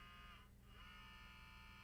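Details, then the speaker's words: Sony CDP-CX355 300-disc CD changer at power-on after relay click: steady low buzz with thin whine, motor straining but carousel spindle not turning; worn or slipped drive belt suspected, not confirmed. "actually it does it not so much of a grinding maybe that's the wrong description it's a motor trying to rotate the the spindle"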